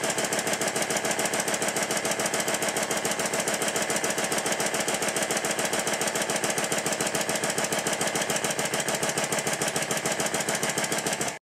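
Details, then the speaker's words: Stuart triple expansion model steam engine after connecting the link pipe from the high-pressure cylinder exhaust to the intermediate-pressure cylinder inlet: crisp, very regular exhaust beats about 3.5 per second; running much better, normal running. "in this next clip the engine is running much better because I've connected the first of the link pipes exhaust from The High Press cylinder to the inlet of the intermediate pressure cylinder"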